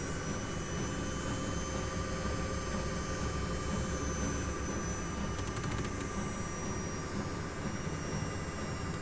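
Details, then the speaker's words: New Miele washing machine at full-speed spin during a drum-cleaning cycle: a steady, even whoosh with the pump audible and no rumble or grinding from the bearings. "on entend mieux la pompe qui qui gère mieux il y a aucun bruit de roulement à rien du tout elle est neuve"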